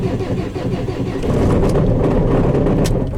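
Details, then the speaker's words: 2019 Maxus V80 diesel, possibly 2.5–2.8 litre, with no-start fault and crankshaft sensor codes P0335/P0336: engine catches and settles into a harsh metallic clatter over the idle; a loose crankshaft reluctor ring rattling on the belt side. "oh I don't know what the hell that was but it's just started and it rattles [Music] but okay we got it started it sounds horrible and there something bad going on certainly sounded mechanical"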